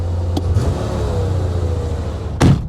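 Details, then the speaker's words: 1985 Chevrolet Corvette C4 V8, a flood-salvaged swamp car now running on all eight cylinders, idles evenly but high at about 1300 rpm with no miss; owner suspects a vacuum leak, not confirmed. "hope to see those rpms come down man they're a little high yeah 1300 dang it almost think she's got a vacuum leak"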